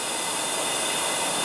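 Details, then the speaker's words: Porsche Cayenne front-left air suspension: with pressure applied, a steady unbroken hiss of air escapes through a hole in the rubber boot of the pneumatic strut, so the air spring deflates; air spring leak found. "Solta. Olha o barulho. Ao mesmo tempo que ele dá pressão, automaticamente pelo furo que já tem ali na coifa do amortecedor, no caso ali da coifa da borracha, da pneumática, né? Ele já vai se esvaindo."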